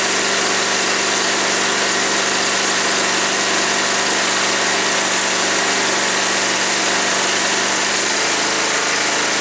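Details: Woods 6180 zero-turn mower, 18 hp Briggs & Stratton Vanguard twin, with an air filter borrowed from another V-twin: steady, even hum with no misses, knocks or surging; runs smooth.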